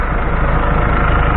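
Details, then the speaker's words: Ford F-100 with Cummins ISBe diesel, 197,000 km, power loss, flashing check engine, code 723-2: dense heavy clatter, loud at rear timing gear area; worn timing gears suspected, unconfirmed. "si escuchamos y se escucha tiene un ruido fuerte en la parte de atrás que sería la distribución de este motor Cummins"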